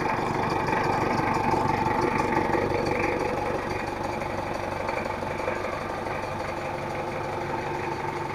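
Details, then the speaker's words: Diesel after an engine overhaul, which had a rough noise, thick smoke and high fuel use, now with injection setting and timing corrected and nozzles tested: steady, even idle with only slight unevenness left, no longer rough. "yang penting mobilnya udah normal dan suaranya Udah enggak seperti tadi"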